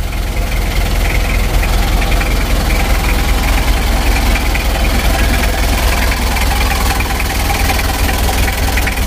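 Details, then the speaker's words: Rebuilt Mitsubishi L300 diesel (2000), first running after assembly: hard, fairly even dry rattling knock about two or three a second at idle; diesel knock from injection timing set too advanced, to be reset to standard. "kita standarkan lagi suaranya agak kering ini terlalu kuat tenaganya nanti mesinnya takutnya gak tahan lama teman-teman ya"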